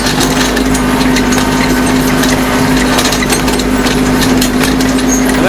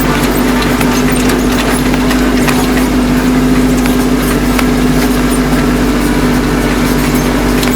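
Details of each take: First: Kubota B2650 tractor with folding ROPS, driving at about 2,000 rpm before fitting Kubota part 53721-61533; loud diesel drone with metallic chatter from the loose folding rollover bar rattling in its mounts; ROPS rattle. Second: Kubota B2650 tractor at about 2,000 rpm in high range over rough ground, after the folding ROPS rattle fix (Kubota part 53721-61533): steady diesel drone with an even low hum and no metallic roll-bar rattle.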